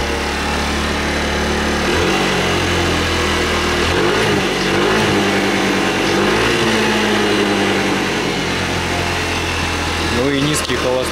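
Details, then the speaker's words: Racer Salut MT50QT scooter, 139QMB engine, idling unevenly, pitch sagging and recovering every few seconds; engine found with no oil on dipstick and smoking. "а вот слышите Да както плавают обороты как-то вообще странно работает мит как"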